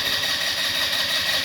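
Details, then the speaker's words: Scooter in China, half a tank of fuel, strong battery: starter turns at a reasonable, fast even pace with no firing pops or catch; cranks but won't start. "again the battery is strong listen to it carefully the battery is strong and the Start Motors turning at a reasonable pace"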